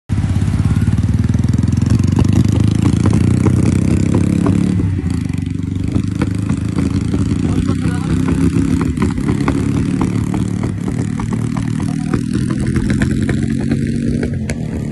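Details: Motorcycle at idle with a misfire: deep beat broken by uneven pops and stumbles; cause unconfirmed.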